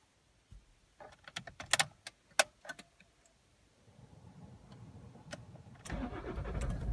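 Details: Toyota Auris 2.0 D-4D diesel, cold start with two faulty injectors: rattling, then long churning crank before catching roughly, with hunting revs and white smoke.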